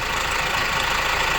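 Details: Opel Insignia at 184,000 km (said to be 306 hp), idling before disassembly, checked on a diagnostic device first: a harsh metallic clatter rides over the idle throughout, typical of a slack timing chain slapping its guides.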